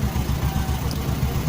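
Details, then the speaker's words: Honda Supra 125 motorcycle at idle after the cam chain (keteng) tensioner was adjusted to cure a ticking top end: even, steady low thumping with no tick or clatter; the ticking is gone and the engine sounds healthy. "हाँ, अब कोई टेकटीक take take ध्वनि नहीं है।"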